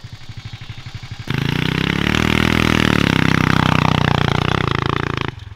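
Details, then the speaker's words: Mega Moto minibike with swapped 420cc engine and 40 series CVT, riding: revs climb off idle, then pitch flattens and sags early while still pulling; CVT shifts into high ratio too early, making the bike lazy. "you can hear the CVT kicking the next gear ratio that's the only thing that really is holding the bike back from any kind of like extra performance"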